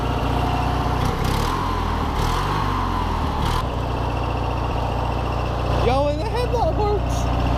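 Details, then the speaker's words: 19.5 hp opposed-twin riding mower after carburetor cleaning, revived: steady even low drone with no misses, knocks or hunting, no longer smoking, fired up easily; idles normally. "And it's not even smoking anymore. Dude, she fired up easy, too. And it's running good."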